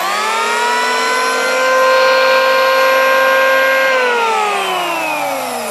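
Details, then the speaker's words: New Yoca electric hand planer spinning freely with no load at unboxing: smooth, steady high whine with no clicks or wobble; armature and bearing sound good, no bearing fault. "Armature की आवाज भी सुनें। Armature की ध्वनि कैसी है? यह बिल्कुल ठीक है। इसके आर्मेचर और बेयरिंग की ध्वनि भी अच्छी है।"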